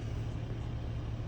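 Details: Van diesel engine started once the glow-plug warning light went off: low, steady rumble settling into an even idle, a clean, healthy start.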